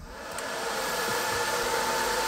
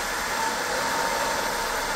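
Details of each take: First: Top-mounted cooling fan on a 20 W diode laser module, phone at pencil distance, with a laser-cut 3 mm spacer cover fitted. An even airy whoosh with a soft tone; the harsh high-pitched noise is gone. Normal fan noise. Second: 20 W diode laser engraver module, top-mounted cooling fan always on, phone a pencil-length away with the metal cover fitted: steady airy fan rush with a faint whistle; the cover restricts intake airflow.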